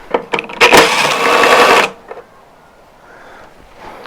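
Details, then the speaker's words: Toro commercial mower, engine previously replaced and heavily used daily: a few clicks, then about a second of harsh, gritty grinding from the driven rear wheel, up on a table; a missing nut and stripped threads are found behind the wheel. "When I was looking at it, noise was primarily coming from this wheel. Let's take a look. Cover your ears."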